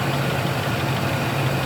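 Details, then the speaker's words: 2003 Chevy Silverado 5.3L V8 after replacing the worn AC belt tensioner/idler pulley that had screamed while driving: steady, low, even idle rumble with no squeal or chirp from the belt area; normal idle, noise gone. "it is running and it is you don't hear any of that noise coming out of it before"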